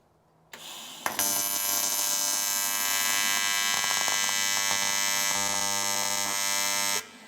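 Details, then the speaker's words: Welder run after a reset while tacking a water-cooling scoop onto a radial-engine Volkswagen Kombi: loud, harsh, edgy buzz holding steady about six seconds as the arc strikes; the reset is blamed for the erratic frequency, not confirmed. "So I've had to do a reset on this welder. Due to that, you can hear the frequency is crazy."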